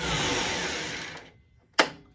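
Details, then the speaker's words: DeWalt DW734 planer motor: whines up about a second, dies abruptly, sharp crack as supply trips, throwing sparks; armature appears to be shorting out and tripping the breaker, motor to be removed and armature fixed. "the motor is gone because, as you see, if I turn it on, you'll see a boatload of sparks coming there, and it's going to trip the power supply."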